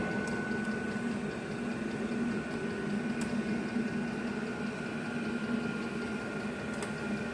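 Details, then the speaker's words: Diesel heater in a shop after startup, now putting out heat: quiet steady hum with constant fan whine and even combustion roar, no surging or popping; running normally. "Oh, there we go. We got some heat kicking out now."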